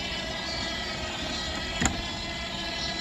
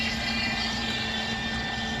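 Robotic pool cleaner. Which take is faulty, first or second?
first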